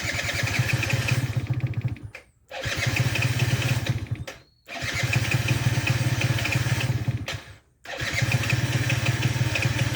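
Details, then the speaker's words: Zuma scooter just after an exhaust leak was fixed: it fires and runs raggedly about two seconds, then dies, stalling three times in ten seconds. The previous owner suspected a bad enricher and said it needs throttle to start until warm; cause unconfirmed. "he said uh sometimes you got to Goose it a little bit to get it to start till it's warm so and once it's started it [Music] idles"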